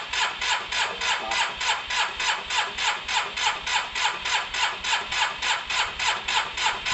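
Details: Cheap Yamaha TMAX after cleaning spark plugs: steady cranking about three and a half beats a second, never catches; spark judged good enough and fresh fuel in, owner suspects fuel not reaching the carbs, possibly the fuel pump.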